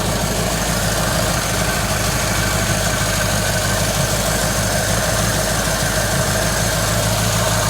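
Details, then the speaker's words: 1953 Ford Customline Flathead V8 on the lift after revival: deep, steady burble at idle with even beat, no misses or knocks; fuel pump delivering plenty of fuel despite leaks; normal idle. "See, I got plenty of fuel, so the fuel pump's working. That is awesome. All right, success."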